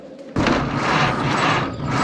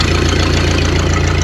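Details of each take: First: 1931 Ford Model A that sat 30+ years: a few slow cranking beats, then a steady, even four-cylinder idle. It runs healthy, with exhaust leaks from missing exhaust chunks and a muffler open at the seam. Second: 1931 Ford Model A flatbed, sat over 30 years, first run after revival: loud open chuffing with each firing pulse at slow steady idle; muffler split wide open at the seam, exhaust leak.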